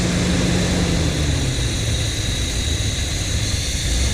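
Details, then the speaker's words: 1975 Chevy C10 V8 after engine reassembly, warming up: idle pitch sags with uneven pulses but doesn't die. Owner suspects a vacuum leak, possibly a broken, rigged connection. Struggling idle. "when I do this it idles down and it's not dying I don't know if it's supposed to die or not but it's struggling it sounds like a vacuum leak to me"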